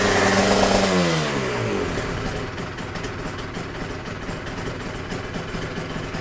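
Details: Yamaha TZR 250 3XV 1990s two-stroke twin, first start after wreck-to-runner rebuild (new hoses, powervalve and oil pump adjusted, carb slides synced, exhausts refitted), in neutral: revs and drops smoothly into a crisp even ring-ding idle, no misfire or knock; normal running.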